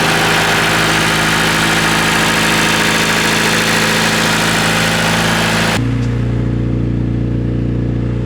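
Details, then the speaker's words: Honda K-series swapped Nissan S14 at first start-up, cooled by a dyno fan since no radiator fans fitted: loud fan rush, then an even, quick four-cylinder idle with no misses or knocks; runs well. "uh yeah starter up cool man this thing sounds awesome"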